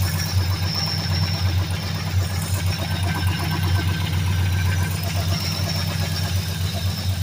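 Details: 2003 Mercury Grand Marquis LSE with 5.4 3V swap (11.7:1 short block, Trickflow heads, Stage 3 cams, long tube headers, high-volume oil pump) at idle: deep steady V8 rumble with a quick regular knock, suspected rod knock.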